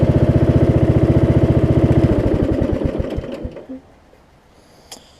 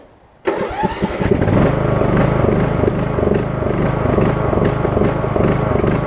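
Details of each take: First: Craftsman single-cylinder riding mower after deck belt, blade engage cable and return spring replacement: steady even thump idle, smooth and regular until shutdown; healthy idle. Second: Craftsman single-cylinder riding mower with a new deck belt, blade engage cable and return spring: it catches after a short crank, then the idle rises and falls, pulsing for about a minute as it warms, then runs great.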